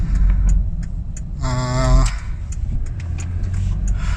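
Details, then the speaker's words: 2008 Toyota Kluger/Highlander after fixing a front upper strut knock, recorded from the cabin near the dashboard over repeated bumps. Low road rumble with no thumps or clunks; knocking gone, normal suspension. "our problem is now Peaks no more knocking so we've been hitting heaps of bumps guys and we cannot hear any uh knocking noise"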